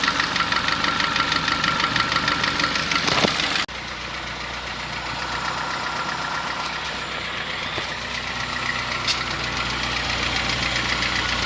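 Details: Honda Fit gasoline engine at idle: steady regular metallic knock about three per second, likened to a diesel Kombi or old sewing machine, easing a little as it warms; knocking of unknown cause, car sent to shop.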